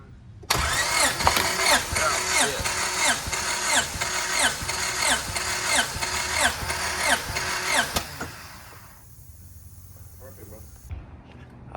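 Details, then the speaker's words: Honda EM1 compression test at cylinder one, about ten cranks. All four cylinders read roughly 210 psi, though the tester leaks air and reads slightly low. Evenly spaced pulses of equal strength; compression sounds even and healthy. "this thing's beautiful all right so like we saw cylinder number one to ten number two to ten number three 210 and number four 210."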